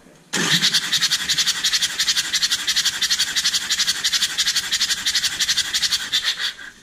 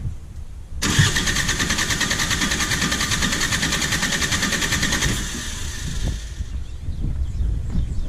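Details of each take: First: JCB 208S (1CX) backhoe with a Perkins 4-cylinder diesel, cranking during a compression test with the injectors removed: loud hissy puffs about three a second as compression blows out the open injector port of one cylinder. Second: Perkins 4-cylinder diesel in a JCB 208S (1CX) backhoe cranking during a compression test, gauge reading just over 400 on one cylinder; an even, steady beat of about three pulses a second with no skips, so compression is good.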